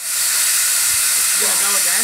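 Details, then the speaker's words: Overtype steam engine, boiler steamed up for the first time in 30 years: loud, steady high-pitched hiss with no mechanical beat under it; steam leaking from a loose fitting, to be tightened. "We got a nice leak there, though. Yeah, we do. We'll tighten that up."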